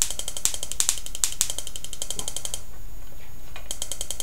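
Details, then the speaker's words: Homemade "lightning motor" high-voltage spark device powered by a AAA battery. Sharp clicks about three a second, pausing about a second then resuming, when the spark is not jumping the external gap. Internal arcing from a misadjusted spark gap. "Yeah, you hear that clicking whenever it's not jumping across. That's because it's arcing inside."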